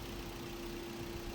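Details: 2011 Toyota Corolla 1.3 manual idling warm at 78° after repairs, with AC on: even, settled idle with one faint steady tone and no misses or knocks; engine sounds healthy.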